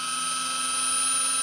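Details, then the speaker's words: Abandoned 1968 Dodge Charger: drill spinning the oil pump to prime it gives a steady, even high-pitched whine with no binding, gauge reading 60-65 psi; normal oil pump priming. "oh wow all right we're at 60 65."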